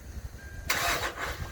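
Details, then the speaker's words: 2012 Hyundai Santa Fe; a short, harsh grinding whir at key turn with no catch as the starter drive fails to engage the flywheel; starter drive (bendix) failure, with plastic starter components blamed. "if you have one that makes a weird noise when you try to"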